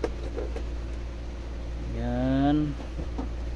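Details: Kolin 2.5 hp aircon outdoor unit after replacing only the relay, because the fan motor was not running: steady low, even hum with no rattling or stalling; compressor on and fan motor now running normally.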